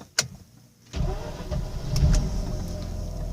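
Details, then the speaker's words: Warm 2005 Mazda RX-8 rotary, hot start test after an earlier rough idle and white smoke episode: a quick short crank, it catches at once and settles into a steady idle. It starts hot with no problems. "there you go guys starts up hot no problems I've never really had a hot start problem on this car"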